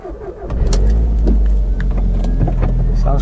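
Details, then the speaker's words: Audi TT, 19 years old, 122,980 miles, original air intake: starter cranks briefly, engine catches quickly and settles into a deep, throaty steady run; clean healthy start. "quite throaty"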